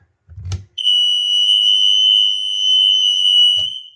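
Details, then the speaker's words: Old mains-powered smoke alarm with steady light, which first gave nothing on test; on retry, after a thump, a loud continuous high-pitched shriek held for about three seconds, with other interconnected alarms heard going off. "All right, so that I could hear other ones going off. It's not just this one."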